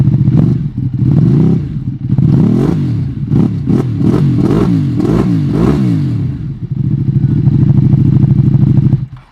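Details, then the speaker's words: Ducati Panigale V2 V-twin with new slip-on exhaust and flash tune, cold start: lumpy deep idle, sharp throttle blips dropping back cleanly, then steady warm-up idle; healthy engine. "So we'll start it up and we're gonna let it warm up for a little bit, but let's see how the cold start sounds."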